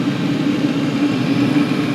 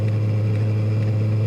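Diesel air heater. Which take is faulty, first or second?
second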